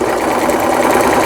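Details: Brother PC15 home sewing machine, about 20 years old and unused about 10 years, after repair of the feed regulator, thread guide and stuck pattern mechanism: fast even clatter of needle strokes, no knocking or binding; stitching normally.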